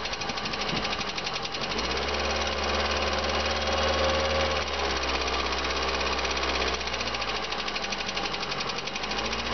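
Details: VAZ 2112 16-valve: steady rapid knocking about three per second over a harsh running engine, persisting through revs; engine knock, cause not pinned down.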